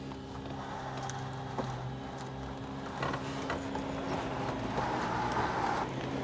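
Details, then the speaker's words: Mercedes W123 sunroof being tested, needs degreasing: motor hums with a labouring drone and pitch change as the panel drags and gets stuck partway on travel back; side guide suspected not dropping. "ah it's getting stuck at that point isn't it"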